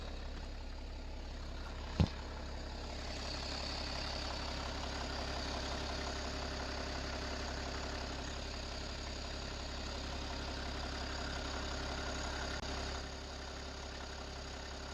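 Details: BMW 525d M57 177HP diesel with ZF6HP transmission at idle: busy irregular rattle over steady low rumble; source not pinned down, timing chain or transmission suspected.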